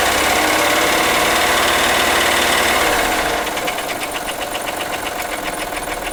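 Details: 2003 Acura MDX V6, 208K miles, multiple-cylinder misfires, overdue timing belt, valves ticking ~30K miles: idle with sharp even tick about four a second; dealer suspects wrist pin or rod bearing, owner suspects jumped timing tooth.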